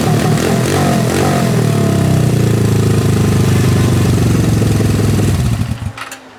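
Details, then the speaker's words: Suzuki GS500 twin after repair of a weird noise with RPM drops (owner suspected a valve not closing, carburetor pushing back): steady, even low idle thumping, no air hiss or RPM dips before shutting off; runs normally. "I think I fixed it it's not making that weird noise"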